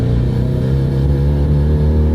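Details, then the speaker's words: 2003 Mitsubishi Lancer Evolution, turbocharged, originally 271 hp, smelling of unburnt fuel from overfueling, on a road test under throttle: low, flat drone that never builds boost, with hesitation and the pop-off valve popping; the turbo is not engaging. "A lot of hesitation. Now you can hear the pop-off valve pop, and I can tell the turbo is not engaging like it should."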